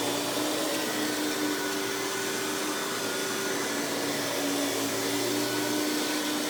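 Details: Hoover PowerMax Supreme 850 S3609 canister vacuum, 1990s, non-original hose, on high speed with power brush: steady high motor whine with even tone, no surging, rattles or grinding; runs very smooth, not the quietest; normal operation.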